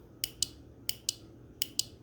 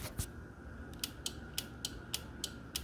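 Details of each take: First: Motorcycle air horn install, key on in neutral, ground not yet connected: three pairs of sharp dry relay clicks at each press and release, horn silent because its ground isn't connected. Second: Motorcycle air horn install, relay wired to the original horn connectors: crisp click repeating about three times a second over a faint steady tone as the horn button is pressed; relay switching properly.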